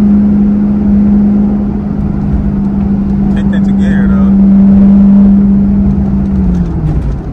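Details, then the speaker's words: A 2002 Camaro Z28 LS1 with an automatic transmission (4L80E) that has no second gear holds a high, steady drone under throttle on a hill without shifting; revving without pulling, the automatic transmission is slipping. "it's literally just revving up I had to get off of that [ __ ] cuz that [ __ ] sound like destruction but yeah transmission gone transmission gone"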